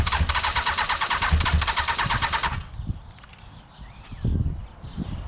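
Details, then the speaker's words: Motorcycle left standing a month under a cover, fuel additive added to push water up: rapid regular starter cranking for about two and a half seconds, then it stops without firing; crank, no start. Owner plans to charge the battery and drain the fuel. "well i honestly thought it would start today but uh obviously it doesn't want to"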